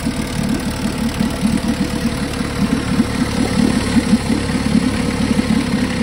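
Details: 1952 Johnson SeaHorse 10hp two-stroke outboard revived with only penetrating oil; steady even putter at constant speed, no misses or rattles; runs good, though needs pull rope, O-rings, grip and small gas leak fix.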